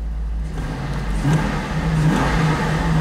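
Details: V8 after replacing driver-side exhaust manifold studs: a deep, even burble rising smoothly on a light throttle blip, with no ticking or exhaust-leak puff. It sounds healthy.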